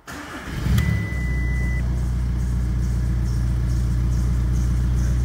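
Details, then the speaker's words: 2003 VW Golf in for an ABS light: cranks, catches and settles into a loud, deep, boomy idle rumble; exhaust blowing with the rear silencer missing. "sure if you can hear that but we also do have a lot of noise coming from the exhaust so take the exhaust boat as well"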